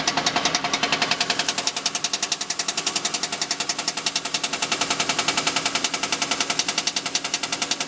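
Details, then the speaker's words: Rear of a manual Mercedes-Benz C300 in dyno mode, 4th gear at idle (noise appears around 15–20 mph): rapid regular metallic slapping, about nine hits a second, under the heat shield; torn boot at the two-piece driveshaft centre slapping the heat shield. "And it turned out it was the boot that was ripped, and it was just slapping the heat shield, making that noise."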